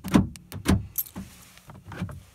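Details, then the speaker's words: Renault Clio 2 phase 1 door central-locking motor (PA66GF30), intermittently failing to lock: uneven laboured clunks and strained buzz as the lock cycles, hesitating instead of snapping cleanly; lock motor seizing, to be replaced. "c'est quand même du bruit le moteur est en train de se gripper"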